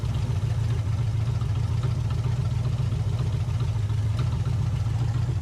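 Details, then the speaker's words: 1980 Camaro V8, first run in over ten years with used carburetor and new tank, warm around 160–180°F: low lumpy idle with occasional stumble; mild misfire, carburetor running poorly and likely needs cleaning. "Got a little bit of a miss still. Alright. She's running under her own will at least."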